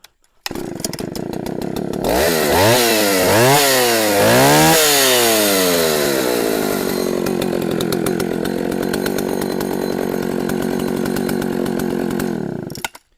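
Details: Cold start of a 44-year-old Husqvarna L65 chainsaw after sitting on a shelf two to three years: a few sharp throttle blips rising and falling cleanly, then a steady, even buzzing run with no misses; normal running.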